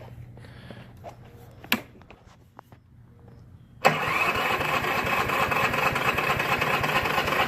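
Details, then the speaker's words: Troy-Bilt mower with a Briggs & Stratton 6.75 hp 190cc engine (about 2007), fresh oil and gas, primed three times: it cranks with a steady rhythmic churn but never fires. Cause: leaking carburetor primer gasket. "just cranks and cranks and cranks and cranks. It will not start. The thing should fire right up."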